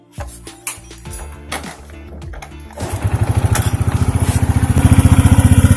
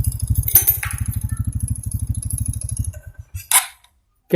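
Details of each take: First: 2014 Honda Supra X 125 fuel-injected single-cylinder motorcycle at idle: the engine surges up to a faster beat, then sags back down and never holds steady. Hunting idle, with the cause still under diagnosis. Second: 2014 Honda Supra X 125 fuel-injected motorcycle, previously with idle rising and falling, retested after the repair: even single-cylinder putter at a steady beat without hunting, then shut off. Idle is stable and back to normal.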